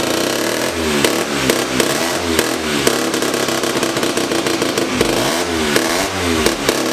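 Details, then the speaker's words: 1975 Hercules W2000 KC27 294cc rebuilt rotary, 5-speed, ~30 bhp; very smoky, owners think it probably needs a little more fuel. Crisp revs climbing and dropping repeatedly, clean throttle response without misses or knocking; normal running. "oh yeah okay that's that's all we needed to see this thing runs good we are ready"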